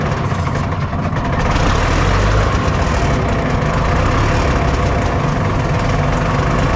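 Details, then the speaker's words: Cat 977K track loader diesel being looked at for purchase, started with starting fluid: thrums low and uneven, never settling to a smooth idle; owner thinks it is starving for fuel. "i hope we don't need it because it's uh i think it's because it's starving for fuel a little bit"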